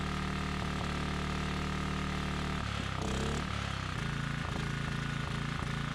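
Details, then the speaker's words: Briggs & Stratton Storm Responder 5500/8250 generator, non-adjustable new carburetor: steady chugging then a stumble and rougher, lumpier beat as load comes on, dumping fuel and throwing black smoke; running rich under load, blamed on carburetor adjustment. "And so you could probably see when I would put a load on this thing, it would dump so much fuel that it would start throwing black smoke out. And it's because it's not adjusted properly."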